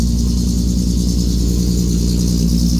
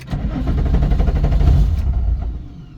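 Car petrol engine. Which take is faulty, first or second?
second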